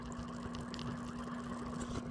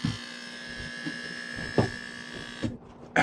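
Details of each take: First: Aquarium water pump after repair, running submerged in a snail tank: a steady low electric hum at a fixed pitch with faint bubbling, smooth and quiet. The repaired pump is working normally. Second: Aquarium air pump found off; plugged back in, it gives a steady mains buzz with a thin high whine and a few handling knocks but pushes no air out, though it still gets power; pump judged bad.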